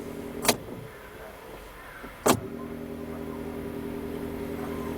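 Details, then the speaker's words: UAZ Patriot auxiliary heater circulation pump, motor now mounted on a rubber damper instead of bolted to the body: low steady electric hum with no rattle or buzz, two brief clicks; heater pump running quietly, normal. "Вот сейчас вот работает мотор, который уже на демпфере. Выключаем. Сейчас работает мотор, который на штатный, без демп"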